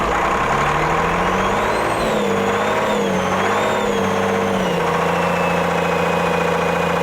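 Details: Autosan H9 bus diesel just started after a long standstill: runs steadily, with the note rising and falling as the revs are blipped, then settles; running fine after starting.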